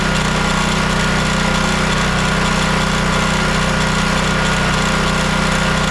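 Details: Champion dual-fuel 9375 generator (7500 W rated on gas) after carburetor clean/rebuild or freeing of a stuck solenoid, test run with choke on: steady, even small-engine drone with no hunting or surging; starts and runs well.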